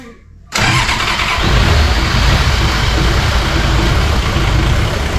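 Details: 41-year-old Toyota Landcruiser HJ47 diesel, long used as a paddock hack, on its first start attempt after cleaning: quiet, then it catches at once and settles into a steady, even clatter with no misses or knocks; fired up beautifully, clean healthy start.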